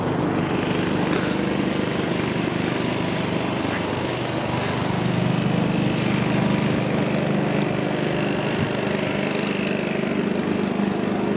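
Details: Honda-powered Billy Goat at about 21–22°F, running after a choke adjustment got it started: the small single-cylinder engine holds a steady, even drone under load while pulling in leaves, no misses or surging; healthy running.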